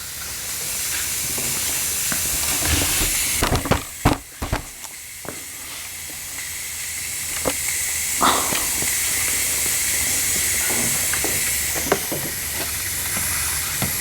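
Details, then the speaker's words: Backup portable air compressor filling its tank: steady high hiss of air leaking out the back at a fitting, with a few clunks. "okay let's fill it with air you can hear the leak leaking right out of the back of"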